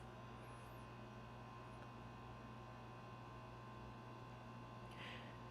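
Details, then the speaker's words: 1935 Wards Airline 62-175 seven-tube AM/shortwave console radio under restoration, powered up with B+ good and the 80 rectifier working: a steady low constant hum from the speaker that carries no station and doesn't change with volume or AM/SW switching; fault not yet traced. "It was just a constant hum out of the speaker the whole time, and that hum doesn't change when you turn the volume up and down, and it doesn't change when you switch between shortwave and AM."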